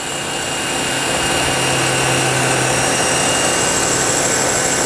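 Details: Nilfisk C110 pressure washer, switching from flat stream to circular nozzle: smooth, constant spray hiss over a steady motor hum with no surging or pulsing; running normally.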